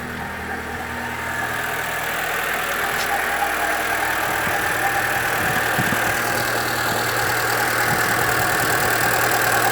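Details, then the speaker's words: 2013 Chevrolet Celta 1.0 at idle, 50,000 km, timing belt already replaced without fixing it: constant rough whirring hum at front of engine, worsening over time; water pump has slight play, owner suspects it. "Olá pessoal, vou mostrar para vocês no vídeo hoje o barulho que o meu Celta faz na frente do motor. Achei que era correia dentada, troquei, mas não resolveu não."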